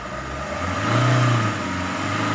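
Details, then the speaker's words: Maruti Swift Ritz diesel with starting problem, scan tool showing rail pressure about 400 bar at idle: smooth note swells evenly under a light rev and settles back without stumble; normal revving, pressure rising toward 14,000. "இப்போ நான் oscillator கொடுக்க இந்த பாரோட increase ஆகும். அதிகபட்சம் இதோட increase பார்த்திங்கன்னா உங்களுக்கு 14 PSI வரைக்கும் 14,000 PSI வரைக்கும் வரும் பா"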